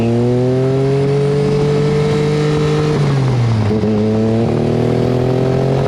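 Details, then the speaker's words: Turbocharged Mitsubishi Mirage on street tires, EFI with factory coil-on-plug coils: engine won't rev, no boost, stumbles and breaks up near the top; owner suspects blown factory coils. "it won't even rev with low boost you can hear in that footage when it does hit that point where it starts to break up it sounds to me like a twin for that reason alone I am inclined to believe that I may have blown up the factory coils in this thing"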